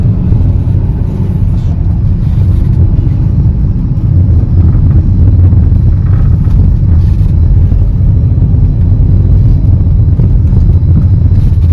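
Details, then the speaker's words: Hyundai with CNG conversion after repair for misfire code P030400, driving on the road: steady engine rumble with road noise, smooth pull, no stumble and no fault codes; running normally. "देख सकते हैं गाड़ी चला रहा हूं मैं गाड़ी में कोई फल्ट कोड भी नहीं आ रहा इंडिकेटर डैशबोर्ड प"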